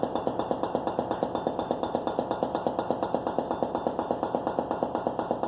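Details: Whirlpool Gold refrigerator: sharp, even knocks about twice a second, happening periodically and stopping when doors are slammed; source not yet found.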